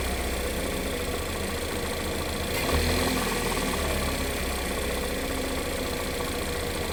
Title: Engine knock